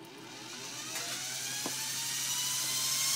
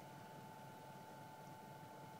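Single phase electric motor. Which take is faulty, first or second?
second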